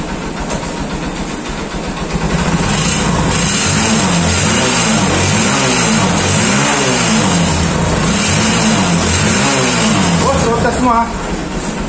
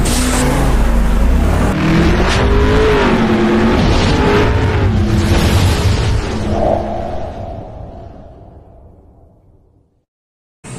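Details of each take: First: Honda TMX150 Supremo motorcycle, previously weak and noisy, after clutch housing repair and carburetor replacement (failed diaphragm, pilot screw) on test: engine pulls cleanly up the revs with even exhaust beat, no misfire or rattle; normal running. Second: Honda TMX150 Supremo, noisy and lacking power, clutch housing recently replaced: single-cylinder revs then dies away with a loose metallic rattle under the exhaust beat, first thought exhaust; rattle from the clutch housing.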